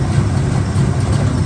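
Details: 1984 Camaro Z28 V8 just started, cold with thermostat not yet open: lumpy, uneven idle with irregular low thumps and a loping beat; misfire, not running on all 8. Owner plans timing adjustment and suspects a ground fault causing hard starting.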